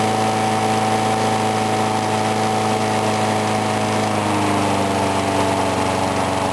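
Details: Briggs & Stratton single-cylinder mower, cold start at 35°F after sitting with water in the gas, started on the first pull; steady, even buzz of constant pitch with no surging or misses, running normally.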